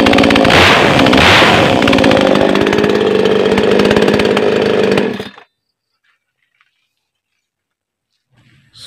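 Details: New Makita mini two-stroke chainsaw just unboxed and assembled, test-run without cutting wood after a choked start. A high buzzy note revs cleanly and evenly for five seconds, then cuts off. Normal running.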